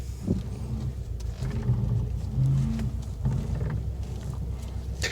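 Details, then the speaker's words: 2018 Subaru WRX STI Spec R, steering wheel turned slowly on shiny concrete; low stuttering groan is normal tire chatter, not rack rattle or strut top bearing noise. "that's a common thing you get with tires chattering on shiny concrete okay not the tire noise"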